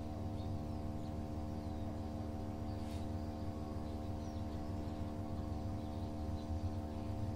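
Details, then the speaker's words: Samsung Digital Inverter direct-drive washing machine loaded with wet clothes, gathering speed in spin: a quiet, steady low hum with a smooth whirr and no grinding. The motor is much quieter than conventional-motor washers, a normal spin. "y ahí va ya está empezando a agarrar más velocidad se está escuchando directamente en el motor se escucha Y fíjense como el motor es tan silencioso que no se escucha como las lavadoras que tiene el motor convencional"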